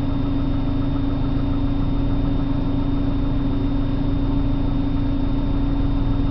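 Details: 1997 BMW 328i on a cold start in the morning: low, uneven idle with a lumpy, unsteady pulse and a constant drone. Rough idle, cause not clear.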